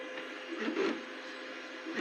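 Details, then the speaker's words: Two Trees Bluer Plus extruder feeder, reassembled: the stepper whirs in short bursts, but the filament coils inside and does not engage the drive gear. "Still making a little bit of a noise there. Oh no! I can see the filament is not engaging in there."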